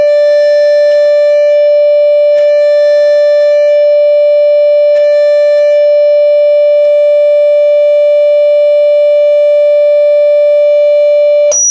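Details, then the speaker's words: Class D amplifier defective out of the box, driven by a 10 kHz test tone, not running hot: steady mid-pitched tone with a rough, wavering beat through it, switching noise beating with the signal instead of a clean sine. "I know many guys can hear the beating but it's pretty ugly the beating sound between the the 10 kilohertz signal coming"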